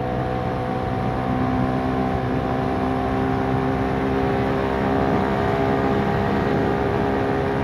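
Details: Kymco K-Pipe motorcycle on a commute, rear sprocket changed to 50 teeth, riding in 4th gear: constant busy high-pitched engine drone at steady road speed; over-revving from the oversized rear sprocket, needs a smaller one.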